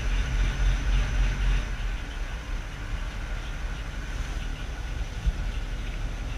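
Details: 1945 HUP Canadian Military Pattern truck petrol engine idles with a deep, uneven pulsing thump, three to four beats a second; strange noise occurring only after long standing in very cold weather, cause unidentified.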